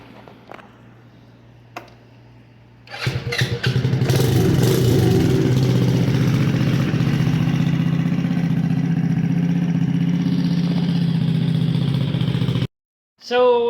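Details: Custom Icebear Maddog scooter with 171 big bore kit, upgraded clutch/variator and custom Coffman exhaust, revived after long sitting, air filter off; after a quiet stretch it catches and holds a steady even low drone, no misses or knocks, running normally.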